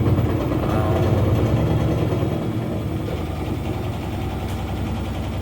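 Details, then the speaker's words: New Centek (Chinese-built) washing machine, transport bolts removed, spinning with only 1 kg load (8 kg rated): low rumble with rhythmic thumping three to four times a second as the drum knocks; back panel dented inward, tank touching it, likely damaged at packing/transport. "Оно стучит и дребезжит. Прямо сейчас. То есть, нагрузка здесь составляет буквально 1 кг, хотя заявленная грузоподъемность машины — 8 кг."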